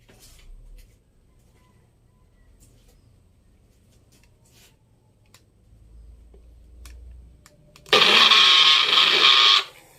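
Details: Magic Bullet blender with crossblades refitted: short burst of high rattly whirring with no steady cutting note; crossblades loose and not turning, causing the noise, so the blade assembly needs replacing.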